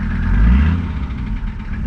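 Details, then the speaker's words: Mercedes 300TD diesel at a smooth, even idle after fixing a no-start traced to bad connections, not the glow plug relay; connections cleaned, battery now charging well, quick start with less choking. Deep, steady clatter with no misses. "and running a lot better already so we're still working on our uh climate control climate control run running so much nicer now nice idle"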